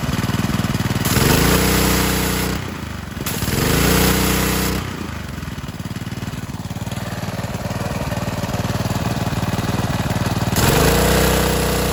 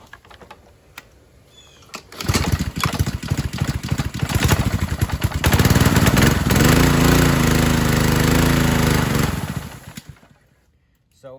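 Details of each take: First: 2015 Ryobi 3100 PSI pressure washer with Honda GCV190 engine, after the idle-down cable was adjusted and lubricated, carb cleaned, new air filter and oil change: starts, revs and settles repeatedly without dying, now running normally. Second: 2015 Ryobi 3100 PSI pressure washer with a Honda GCV190, tested with the idle-down spring removed: it starts and holds a steady fast buzz, then sags and quits instead of idling. The idle-down cable was binding and suspected rusty; it was fixed by adjusting and lubricating it.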